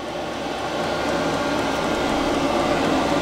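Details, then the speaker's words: 5KW Chinese diesel air parking heater running in 8'x14' shed, 25F outside, 12V lead-acid battery, no air intake pipe fitted: steady smooth whoosh like a household fan on medium or high, no rattles or pulsing; normal running. "I would recommend purchasing this unit it is not as loud as what people say it is it sounds almost like a household fan or medium or high speed"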